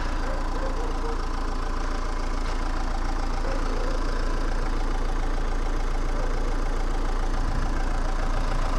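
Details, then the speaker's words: Renault Megane 2 1.9 dCi after repair of a no-start (rail pressure only 2–4 bar; broken-shaft high-pressure pump, timing belt, tensioner replaced): starts easily, no smoke, steady even idle clatter without misses, knocks or surging; normal idle. "merge Ok motorul nu scoate fum porneste usor cum asta a fost tot"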